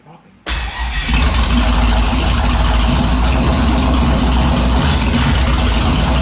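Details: Turbo 5.3 LS V8-swapped Mustang, naturally aspirated startup after correcting reversed injector harness wiring: brief crank, then a strong, steady, even run with no misses or knocks.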